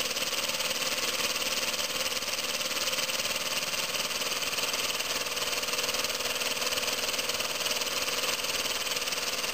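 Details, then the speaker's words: Homemade compressed-air engine from scrap, copper pipe cylinder, at about 8 psi from a compressor: a fast, even chuffing beat with a steady hiss, no stumbles; its fastest run yet, staying in time though timing usually slips. "pressure wow that's the fastest I've ever had it running it usually goes out of time before now"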